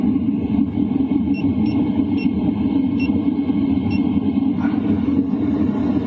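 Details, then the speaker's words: LF Bros diesel heater going from 2.5 kW to 3 kW in a tent at night, microphone close to the air duct: steady low rumbling roar of fan and burner, even, a few light clicks; normal running. "Now I'm switching it up to 2.5 kilowatts. And honestly, the noise is pretty much the same. Next up is 3 kilowatts."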